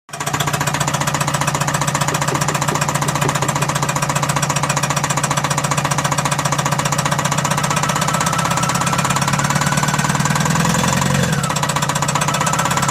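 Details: Tata Mega XL 2-cylinder DiCOR diesel: a harsh, fast clattering rattle of about four beats a second over the idle, steady throughout. Consistent with a failed turbocharger.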